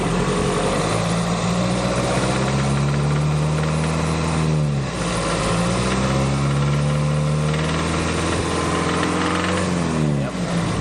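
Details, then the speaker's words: Turbo budget-build Nissan Frontier, 300,000 miles, T3 turbo and 550cc injectors: rough uneven idle with a dull knock under the engine note rising with revs; rod knock, owner plans full rebuild with new bearings, pistons, rings, oil pump. "that's rot knle right there probably put new bearings and we're good to go"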